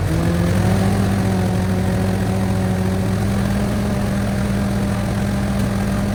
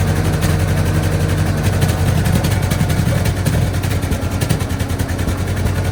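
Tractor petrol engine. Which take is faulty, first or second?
second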